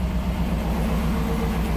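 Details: 2007 GMC Yukon XL Denali 6.2 L V8, towed in as a no-crank no-start from a down low-speed communication network, idling after a splice pack is plugged back in: smooth, steady low idle with no misses or knocks and faint radio music over it.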